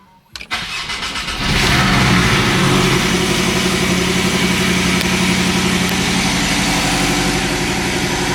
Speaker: that sounds good. Not bad.